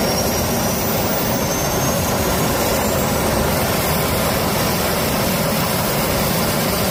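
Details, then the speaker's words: Small jet engine with a bent bracket and a bolt sheared out of the housing, evidently crash-damaged despite a claimed no-accident history; a loud, steady roar with a high thin whistle and no surging, fault not evident. "So this thing has definitely been in a crash. But we're going to start it up and see if it runs okay."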